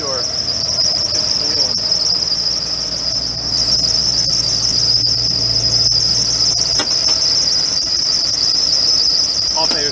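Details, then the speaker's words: 1997 Dodge Ram pickup parked four years: engine runs but a constant piercing high squeal comes from the belt slipping and smoking on a seized alternator pulley that won't turn. "she runs he's smoking around the alternator belt it's gonna cut probably already did so the alternator does not turn but it runs"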